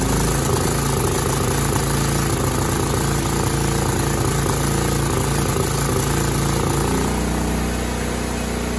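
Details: Cub Cadet 2166 mower, 16hp horizontal Kohler Command single-cylinder engine, running after a new fuel pump and a replaced brake spring switch activator. It needed priming and tank tipping on low fuel, then settled to an even, steady thump with no misses or surging. Sounds good.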